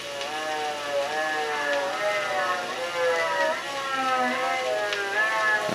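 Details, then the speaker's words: Late-1950s Admiral 329 record player: music wavers in pitch about every second; motor not gripping the platter due to broken bushings, needing manual turning, so speed keeps sagging. "i had to turn the table manually so the motor is just not not gripping very good with this those little bushings broken"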